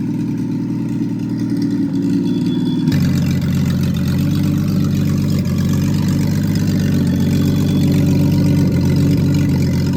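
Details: Freshly rebuilt Triumph TR6 six, head shaved 60 thou (about 8.4–8.5:1 compression), after first start, warmed up, chokes off, distributor slightly adjusted: even, smooth idle stepping up to a slightly faster steady speed, no misses or knocks; normal warm idle.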